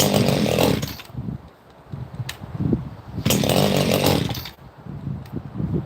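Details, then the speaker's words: Two-stroke chainsaw just started cold on full choke after several pulls: burbles and blips unevenly, sagging between revs instead of holding a crisp note; it sounds a little rich, so it is left to warm up. "That's the way that thing sounded a little bit rich. Maybe I'll let it warm up a little bit."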